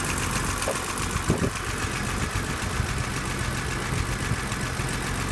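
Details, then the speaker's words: 1983 BMW 635CSi, manual gearbox, warm inline-six idling with a steady, even patter and no hunting or surging; fan replaced a couple of years ago, plug leads new. Normal, healthy idle. "you can uh hear that the engine's ticking over nicely there's no hunting no idling issues"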